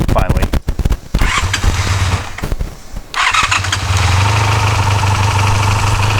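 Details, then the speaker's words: 1984 Honda VF500F Interceptor after fuel pump wiring check, owner suspects a bad connection: starter churns in repeated bursts then a steady drone, never catching; cranks without starting. "finally yeah looks like back to the drawing board"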